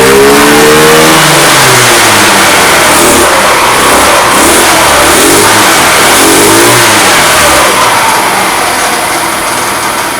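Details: Fada Wind two-stroke scooter that would not start, after spark plug, air filter and starter ratchet replacement: crisp revving climbs and falls cleanly with throttle, no misfires or stumbles; running healthy.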